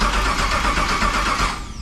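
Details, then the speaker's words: El Camino build, Texas Speed 416ci LS3, TH400, Holley EFI, first start attempt in park: starter churns engine at steady quick rhythm but never catches; suspected no cam or crank signal; crank no start. "If it didn't take the fuel pump, it's got no cam signal or crank signal. Fuel pump should be on."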